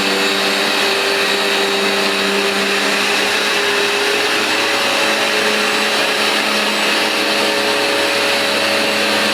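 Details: New replacement Vax Dual Power Total Home carpet washer shampooing then extracting on carpet: even, high-pitched suction whine holding steady through passes, no surging or rattling; normal operation.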